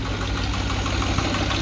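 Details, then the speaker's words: Salvage-title Mustang idling unusually low: light quick ticking over low, slightly uneven idle; owner suspects lifter noise, unconfirmed. "it's ticking a little bit and I think that's a that's a lifter lifter noise noise might be able to hear it from here"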